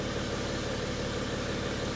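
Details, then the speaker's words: 2012 BMW X5 diesel, M57 engine, after EGR cooler repair: steady, even idle with smooth, unbroken clatter, a little turbo whistle, no knocks or misses; no fault codes, sounds healthy. ">> That is so fast. >> Sounds good, Mike."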